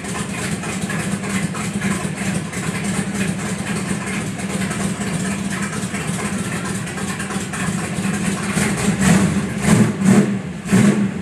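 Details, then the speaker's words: 1970 Dodge Coronet R/T convertible with 440 Six Pack V8, running with good oil pressure: steady, lumpy idle with an even low rumble and no knocks or misses. Sounds healthy. "This is what it sounds like when it's running."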